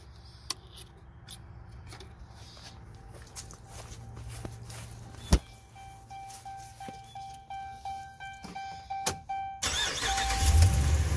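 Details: Dodge Ram 1500 with recurring morning no-start, after priming the fuel pump with a jumper wire: long run of uneven cranking pulses, then the engine catches and roars; fuel system late to wake up.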